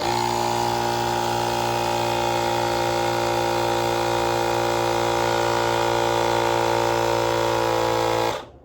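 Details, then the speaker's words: Electric tire inflator pump from Temu filling a replacement inner tube on an e-bike: loud steady buzzing drone with fast even pumping rattle, about four strokes a second, until switched off; working normally. "It's working. Pressure inflate to 240 to 300 kVA."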